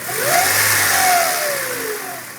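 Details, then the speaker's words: 1994 Integra GSR B18C1, after timing belt replacement, revved: steady whine rising and falling with revs; caused by an overtightened timing belt, fixed by properly tensioning the belt. "it's been making this whining sound now I don't know if it's my timing belt is too tight or something else"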